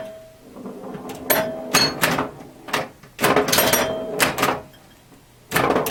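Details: Restored 1977 Williams Hot Tip, Williams' first solid-state pinball machine: quick rounds of sharp solenoid clacks, chime tones and score clicking as the playfield fires through a game; normal gameplay.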